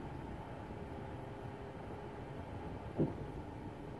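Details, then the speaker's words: At a complete stop with the engine idling, one short low thump sounds when the brake pedal is lifted slowly; it happens every time the car comes to a stop, not when slowing in motion. "But if I lift up on the brake slowly, it makes that weird sound. It only does it when I'm stopping, not when I'm in motion."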